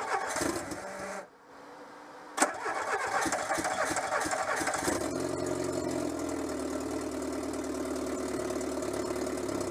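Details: Renault Super 5 after head gasket replacement, starting with coolant between min and max: cranks, catches and settles into steady, even idle with no misfire or knocking; healthy engine.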